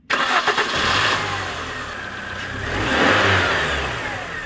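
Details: Engine with a poor oil analysis, restarted warm right after compression tests: quick start with a blip of revs rising and falling smoothly, settling to an even idle with no misfire or knocking; brief smoke and oil smell, no fault code; normal start and idle.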